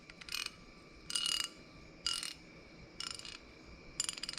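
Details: Larger rebuilt 1/2" drive SK ratchet (40170/42470), clicked in both directions: five short bursts of crisp, fast, even clicks about a second apart; the pawl ratchets cleanly and sounds healthy.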